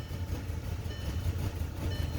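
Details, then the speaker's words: Rough, unstable idle on a VW that would only start after holding the key: low uneven rumble surging and sagging like running out of fuel, dies without throttle; must be held near 1,000 rpm in neutral at stops. "And this is how rough it runs. And if you don't give it any gas, it will die. And as you can tell, it has a really bad idle."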